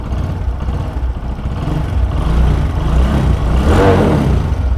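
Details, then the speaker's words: Single-cylinder motorcycle after replacing the burnt collar at the cylinder head–exhaust pipe joint; even low thump rising smoothly with throttle, the earlier pat-pat exhaust leak noise gone. Normal idle after repair. "প্যাট প্যাট প্যাট প্যাটের শব্দ আসছিল cylinder head থেকে, ওই শব্দটা এখন আর নাই।"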